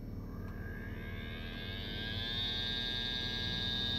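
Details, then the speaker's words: Midea U-shaped window air conditioner, partly reassembled for a test run: motor spins up with a rising tone that settles into a steady high whine over a low hum; the blower fan motor is confirmed as the noisy part and needs replacing. "so now I know so now I can definitely say okay this this motor is the noisy thing so that's what's got to go"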